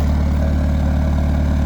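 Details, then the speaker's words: Peugeot 205 turbo diesel with a lightened 4.5 kg flywheel and a performance clutch kit: deep, even idle with a steady low beat and no stumbles or knocks; idle sounds regular and perfect. "Ça bien c'est régulier, le son est parfait. C'est régulier ça."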